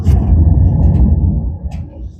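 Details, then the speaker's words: Lowe 1648 boat trailer wheel hand-spun: deep gravelly rumble fading as it slows, from a pitted, neglected wheel bearing where water penetrated the seal; bearings, seal and possibly races to be replaced. "That's a wheel bearing that's pitted, been neglected, grease, whatever. Water penetrated through the seal."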